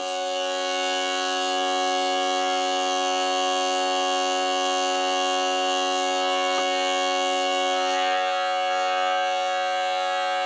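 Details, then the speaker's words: Jensen V21 upper (horn compression) driver on a steady test tone shows a rough bumblebee-like buzz underneath; readjusting the diaphragm removed only some of it, so the worn diaphragm needs replacing. "now you're a tritone there but I want you to hear the buzz underneath that kind of like a bumblebee buzz"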